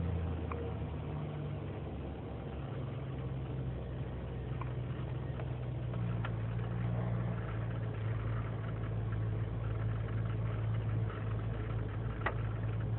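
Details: 2003 GMC Sierra Z71, 5.3L V8 non-flex fuel, cold start in single-digit temperatures, idling unassisted: slightly uneven idle, then speed rises midway (to about 1600 RPM); lean and misfire codes, owner suspects leaking intake manifold gasket.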